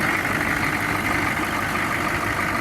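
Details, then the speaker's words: 2002 Chevy 3500 flatbed utility truck, 6.5 L diesel, about 81,600 miles, sat over 6 months, started on starting fluid, running about 20 minutes without overheating; smooth, steady idle with even beat, no knocks or misses, revs up nicely: normal idle. "Engine sounds good. Listen, I am not a diesel mechanic by any means, but I uh I will tell you it's idling smooth. It revs up nice."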